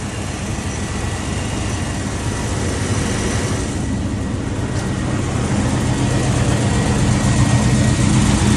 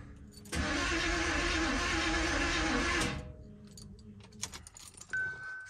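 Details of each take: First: Box-body Chevy truck (possibly a K5) after water pump gasket work: steady, even low rumble with no knocks or misses, idle holding level throughout. Smooth, healthy idle; transmission fluid is still low. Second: Box Chevy with new battery: starter spins steadily about two and a half seconds, engine never catches; cranks but won't start, owner thinks ignition timing is off and plans to reset the distributor.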